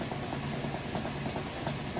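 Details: Maytag top-load washer, final spin with a heavy load of mostly jeans, restarting after the lid was lifted: even motor drone with a soft rhythmic swish about three times a second; normal spin.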